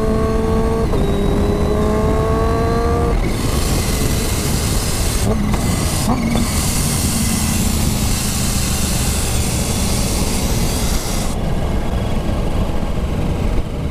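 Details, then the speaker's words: Supercharged Kawasaki H2 on road test with newly fitted Turbosmart blow-off valve: revs climb, then loud airy hiss when throttle closes as boost pressure left in the plenum is dumped; normal operation. "listen to that that is the pressure because this is supercharged obviously when you go on the power when you boost it up the boost pressure increases goes through the plenum into your uh inlets whatever and when you close the throttle that boost is still there"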